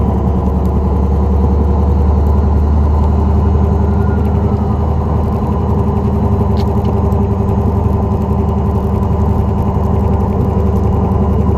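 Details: 2004 Dodge Neon SRT-4 driving, steady low drone under engine and road noise, constant and even; suspected bad wheel bearing, not confirmed.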